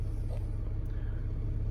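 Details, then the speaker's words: Ford Territory after crank-no-start fixed by resetting the collision-tripped inertia fuel cutoff switch: starts and idles with low, steady rumble, no stumble or knock; healthy. "right now that we reset it we going to start the car there you go look at that works like a bought one"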